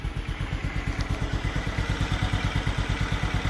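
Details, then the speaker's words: Cabriolet just started after fuel valve opened, compression tested at 121 PSI: steady, smooth low idle pulsing about three times a second, no knocks or misses, runs like butter; normal idle. "It's like butter. Sounds good."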